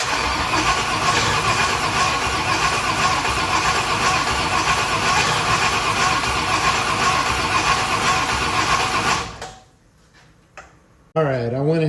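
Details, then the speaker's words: 1965 Ford Thunderbird, FE 390 V8, distributor and timing recently reset, weak battery; steady cranking about two and a half turns a second that never catches; owner suspects not enough fuel reaching the engine, unconfirmed. "um I'm thinking maybe it's more of a fuel like just not quite getting enough fuel to it right now it's kind of what it seems like but I'm no expert on this for [Music] sure"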